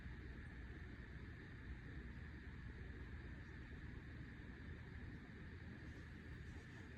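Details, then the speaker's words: Samsung RF28T5001SR fridge after replacing the freezer evaporator coil fan: only a faint, steady low hum with no ticking, scraping or fan flutter; running quietly, noise believed fixed. "I don't hear nothing, but I think that's kind of the point. Alright, well I think it's fixed."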